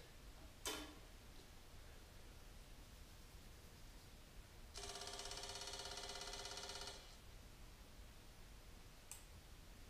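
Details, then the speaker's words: Victory Vegas Jackpot with a newly installed fuel pump, key on, on a chilly day: sharp relay click, then about two seconds of steady buzzing hum that cuts off cleanly. Normal fuel pump prime. "Gas fuel pump sounds good. I'm gonna let it prime once."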